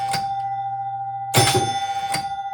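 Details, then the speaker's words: Gottlieb King of Diamonds EM pinball, score unit advancing: chime with dull, unevenly spaced mechanical clunks; sluggish reel advance needing rebuild and cleaning. "This is really sluggish. Uh, this is going to have to be rebuilt and uh, cleaned up,"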